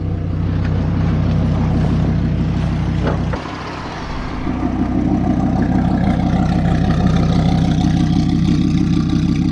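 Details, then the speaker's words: 1998 Dodge Ram 2500 4WD V10, 154,000 miles: deep, even idle with a smooth steady beat after a brief dip, no knocks, ticks or misses; engine sounds and runs good. "Now, okay, this truck is not perfect. It runs great. This V10, it sounds good, it runs good."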